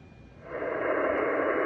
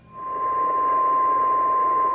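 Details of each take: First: HF receiver at 14.277 MHz with volume turned back up: steady, even hiss with no whistle riding on it after switching off a remote-control LED lighting controller that had caused a persistent interference tone. Clean band. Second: HF ham radio receiving at 14.277 MHz in the 20 meter band: loud unbroken pure tone over soft hiss, a steady carrier line on the waterfall; persistent RF interference later traced to a lighting controller.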